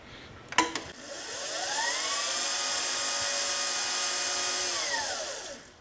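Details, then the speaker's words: 2018 Permobil F5 wheelchair drive motor after brush housing cleaning, commutator sanding, oiling and brush facing: rising whine, steady high hum, wind-down; sounds happier but one motor remains significantly louder. "That other motor is still significantly louder. They do certainly sound a lot happier"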